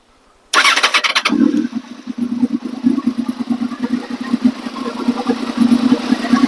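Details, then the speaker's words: Honda VFR800 V4 on first start with a replacement used engine, fresh oil, filter, coolant and a charged battery. It catches almost at once after a short crank and settles into a steady, even idle with no knocks or misses: normal start and idle. "Fire it up. First try. Got it like that."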